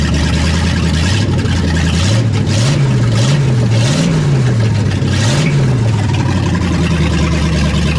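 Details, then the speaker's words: Project engine warm at idle after a very long sit, temperature holding at 190, oil pressure dropped a little. Idle rises and falls in slow waves about every second; a surge of unconfirmed cause, and a tune-up is likely. "oil pressure come down a little bit now that it's warm holding right at 190 got a little surch to it too got a little bit of a surge to it but did just get woken up from a very long nap"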